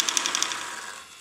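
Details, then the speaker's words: Hitec 7950TH servo on the rudder, a swapped-in good elevator servo shows the same fault: quick high-pitched chattering buzz about a dozen ticks a second, hunting and jittering instead of holding; servo versus linkage cause unresolved. "and it it seems to hold better if I put some load on it but still if you touch it it all then it goes off if you move it at all"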